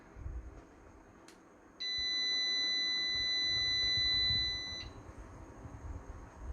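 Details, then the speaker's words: PS-3K-24V hybrid solar inverter after repair, powered at 24 V, output 228 V: single steady high-pitched beep of about three seconds, warning code 01 because no cooling fan is fitted yet. "เนื้อหาเครื่องทำงานแล้วนะครับนี่นะครับ228โวลท์เตือน01นะครับ01ก็คือพัดลมนะครับยังไม่มีพัดลม"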